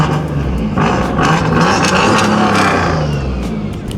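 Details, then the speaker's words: Big-turbo Focus ST pulling hard under acceleration with a raspy, crackling exhaust edge; owner believes an exhaust leak arose after hitting the crossover pipe joining both headers about a month ago. "I can It's funny though cuz I can tell we have an exhaust leak uh about a month ago or so. I hit the crossover pipe that connects both headers together and I think it created exhaust leak. Reason why I know when this car has an exhaust leak is because it gets a little more raspy."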